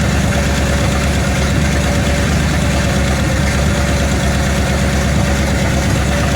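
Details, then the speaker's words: 1966 Ford Mustang V8 cold start, old belts, antifreeze leak noticed; loud raw idle with uneven chuffing bark and no muffling, exhaust appears broken off and running off the header; exhaust leak. "So, what is going on with this exhaust system? Do we have any exhaust system? I think we're running off the header."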